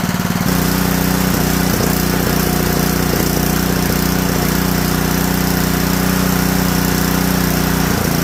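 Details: Honda GX160 junkyard engine after a makeshift carburetor rebuild: it chugs at fast idle with slight unevenness and occasional stumbles. It needs partial choke because the carburetor jet is still partially clogged.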